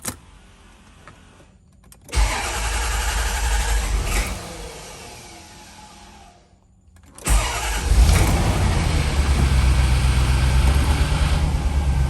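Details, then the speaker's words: 1990 Corvette ZR1, complete cold start; idle slowly surges and sags instead of settling, hunting idle the owner suspects comes from a vacuum leak, plenum to be pulled to check; slight oil leak also seen under plenum. "so you can see it hunting a little bit there for uh a good stable idle it's not happening that's another indication of a possible vacuum leak"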